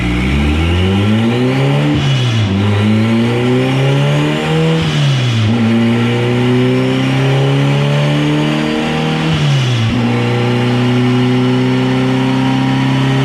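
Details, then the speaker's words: AWD turbo Integra dyno pull at 30 psi of boost making only 502 hp: the revs climb hard, then the pitch sags and recovers several times under load as boost drops off. A boost leak is suspected and is to be leak-tested. "So that was 30 pounds of boost. It only made 502, so something's definitely going on. We're gonna try to boost leak test it real quick and see what's going on, but as you can see, it makes real good boost and then it starts to drop off."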